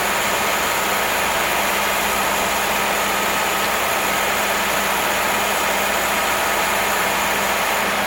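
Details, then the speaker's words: Barn-find engine after swapping stock carburetor for a Weber on an adapter plate: even steady idle with no stumbles, constant hiss partly covering it; never ran that smooth, previous putt gone; normal idle. "Oh man, that sounds good. It's never ran that smooth. No more put."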